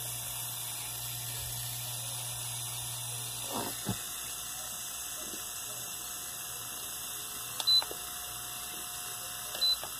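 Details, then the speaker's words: Mallory fan after repair: runs with a smooth, quiet low hum and faint steady whine, noise gone; two short beeps are the normal remote-control receiver sound. "não está mais fazendo barulho mas são barulho natural dele mesmo"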